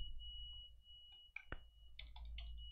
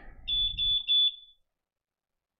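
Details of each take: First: Quadcopter flight controller on Betaflight 4.0 with a newly fitted beeper: a steady, loud high-pitched warning tone droning under desk clicks, caused by low power. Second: F4 flight controller after flashing Betaflight 4.0: three short, sharp, high-pitched beeps in quick succession, then quiet. The loud beeper works properly.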